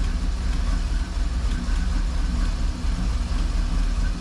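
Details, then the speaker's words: 1988 Camaro IROC Z28, 350 TPI, 700R4 overdrive, EGR disconnected, restarted: steady, deep idle sitting slightly low and lazy; in this low-idle state it shuts off as soon as the throttle is touched, cause unknown. "Now if I just touch this throttle, it just shuts off. As soon as I touch the throttle, it shuts off."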